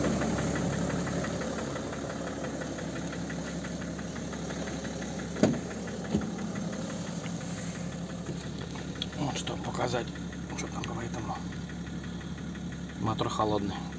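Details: Cold-start BMW M57 306D3 diesel at idle: hard, irregular knocking with sharp raps over the clatter; source not pinned down.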